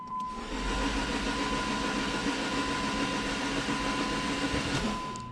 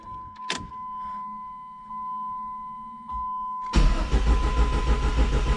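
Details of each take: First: Dodge Neon SRT4 before first start, cranked with relay out, spark plugs out and coil pack disconnected: even fast starter whirr with no firing or compression pulses, building oil pressure. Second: Dodge Neon SRT-4 first start, fuel pump primed: a chime, then starter churns steadily about three beats per second but engine never catches; owner suspects air in the fuel system.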